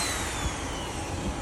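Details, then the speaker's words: Power tool after fixing sparking at the brushes, caused by uneven brush wear from an off-centre armature, and replacing two bearings: steady even motor whir with smooth gear hum, no grinding or rattle, no sparking; normal running. "นี่ครับสิ่งที่เสียหายนะครับลูกปืน2ตัวฟังเสียงดีครับไฟไม่แลบแล้วนะครับ"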